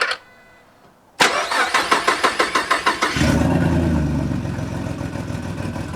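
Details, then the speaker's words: 3.7 V6 Mustang with big single turbo, first start after engine swap: about a dozen even cranking strokes over two seconds, then it fires and settles into a steady, deep, meaty idle; healthy start. "that sh sounds [ __ ] meaty dude"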